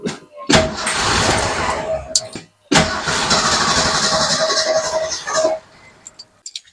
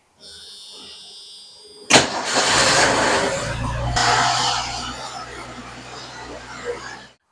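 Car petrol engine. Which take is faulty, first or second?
first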